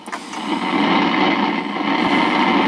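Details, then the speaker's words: Accutrak VPE-GN PRO ultrasonic leak detector on a super small pipe leak wetted with water: dense, steady crackling hiss, the fizzing pop of the tiny leak, heard better with water than with bubbles. "you can hear how the water makes a big difference now this is a super super small leak that i've got here"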